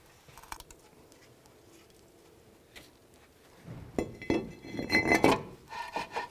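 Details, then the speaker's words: 2002-2006 Nissan Altima front brake job, new rotor spun by hand: uneven metallic scraping as the bent, likely rust-pushed backing plate rubs the rotor constantly; straightening the plate removed the noise. "That backing is hitting constantly, and it's probably got rust up from behind it."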